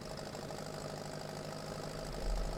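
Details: Grey Fergie tractor (number 401) that had mysteriously stopped, now fixed after spark plug work: low, steady rumble settling into an even idle with no stumbling or knocking; running properly.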